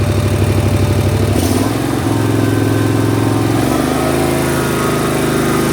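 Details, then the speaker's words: Snapper mower small engine checked with tachometer after previously over-revving; idle about 1400 rpm, then full throttle about 3000 rpm, steady even drone after brief dip, governor holding, no runaway revs. "It doesn't sound like it's over revving like it was before. It was at what, 32, whatever the heck it was, and 1400, about 1400 at idle."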